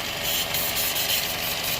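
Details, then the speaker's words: 2015 Chevy Cruze 1.4 turbo, 68,000 miles, code P1101, engine jerking; strong constant high hiss over quiet idle from vacuum leak at failed PCV valve built into valve cover, fixed by replacing whole valve cover and gasket. "see it's jerking right now you can hear it all right so this is what I found out I heard some hissing"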